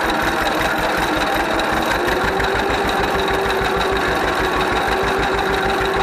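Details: 1931 John Deere GP two-cylinder tractor, first run after carburetor repair. Slow, even putt-putt with steady firing, no misses or knocks; sounds and runs good, idling healthy, smokes a little.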